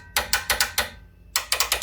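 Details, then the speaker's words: Short bursts of harsh clacking as a WARN VRx45 winch motor, powered directly, labours and stalls; motor suspected, possibly a seized gearbox or corroded brushes, unconfirmed. "yeah we've killed it okay so the motor clearly isn't very happy I mean possibly it could be because maybe the gearbox is seized up or something like that but the motor just didn't seem very Lively at all it's just very quickly gave up"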